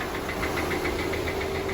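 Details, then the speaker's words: Audi/VW 2.0T TFSI engine: sharp, regular knock taps over the idle several times a second, deep in the block; sounds like a rod knock in the bottom end. Owner thinks engine internals are junk, not confirmed. "something's not so happy in the bottom end i don't want to lock it up so that's all i'm going to give you and i'm almost positive that everything in the engine's junk from based on that sound"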